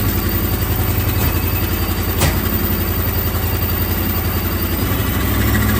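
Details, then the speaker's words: Procharged 1996 Mustang GT with the header rusted out on the bottom and the EGR ports open. Raw, ragged idle with an uneven puffing chuff over a low rumble; exhaust leak from the rusted header. "And the header is rusted out on the bottom side. So it's going to be very loud. It's not going to sound good, but I at least would like to see if the engine runs better."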